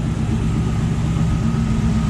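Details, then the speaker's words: Square-body Suburban V8, overhauled about 5 years ago, with a used Edelbrock 1405 carb, warming up near 210°F: deep, steady, even idle with no ticking. Earlier lifter tick, blamed on old assembly lube, is gone. "And what can I say? It's running. It's not ticking now."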